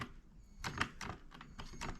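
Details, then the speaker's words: Beam engine running: quick dry clicks and light knocks, several a second and unevenly spaced, rattling and knocking as it turns. "if you can hear all that rattling and knocking"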